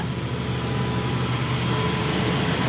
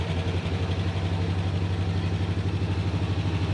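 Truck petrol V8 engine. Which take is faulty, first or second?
first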